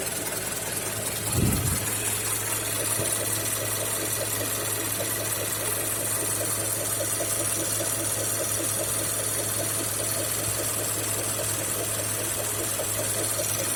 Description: Мотор PY, 2,5 литра, mazda cx-5, звук появляется через секунд тридцать, после прекращения движения на хорошо прогретом двигателе.